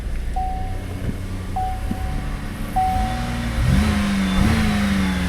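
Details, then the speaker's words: Used vehicle at dealer appraisal; chime pings, engine cranks, catches quickly and settles into an even, steady idle with no knocks, sounds good; check engine light shows P0411 secondary air injection code; normal idle. "Motor sounds good."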